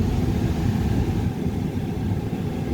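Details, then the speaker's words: 2008 Dodge Ram 1500 HVAC blower with the ignition in run. Fan speeds one to three give nothing; the fourth setting ramps to a strong full-speed whoosh. This points to a failed blower motor resistor, mounted under the passenger-side dash. "nothing on the first setting nothing on the second nothing on the third and then all of a sudden when i turn it to the fourth you'll hear the fan ramp up and blow full speed"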